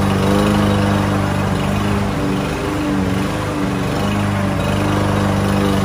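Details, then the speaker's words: Lawn Boy mower unused nearly a year, after carburetor cleaner and starting fluid fix, cutting grass: steady single-cylinder drone dipping slightly under load and recovering; normal running under load. "y esta mire ya está jalando la máquina muy bien y está cortando el zacate"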